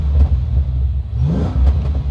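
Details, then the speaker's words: 1987 Ford Mustang Fox Body notchback race car with a 5.0 V8, revved to 4,000 rpm. Deep rumble with a lumpy burble and exhaust pops, the whole car shaking; the engine sounds healthy. "the whole car is shaking as I rev it and it's popping out the exhaust as well at 4,000 RPM and it sounds so good"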